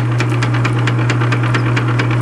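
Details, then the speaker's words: South Bend 9-inch lathe after repairing two broken backgear teeth, running on slowest speed: steady hum with a light, evenly spaced click each turn where the repaired tooth meshes; not slipping, further tooth fine-tuning could remove it. "I got it on the slowest speed now and you can barely hear coming around Hey like I said that click a little more fine-tuning with the teeth and I can you probably get that right out of it but it is working"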